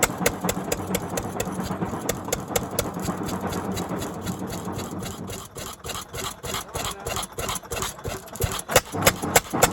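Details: Barn-find 1929 Fairbanks-Morse 7.5 hp engine, 5.75 in bore by 8 in stroke, clutch pulley, first start after years sitting, primed and started by pulling flywheels: crisp fairly regular firing thumps about three a second, no heavy knocking; normal running.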